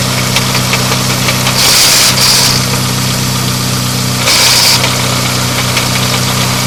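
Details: Engine idling right after a custom CPL Racing straight-cut gear set was installed: loose, irregular crackle and rattle of about four a second, plus two hissy bursts. The source is unclear.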